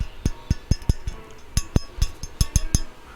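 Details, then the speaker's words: Randall RD100 tube guitar amp that came in running very hot with weak output and crackling. Tapping the bench sets off a thin, glassy acoustic rattle from the worn quad of power valves, a sign they are in poor condition. "now you can just hear here acoustically that these are very rattly valves"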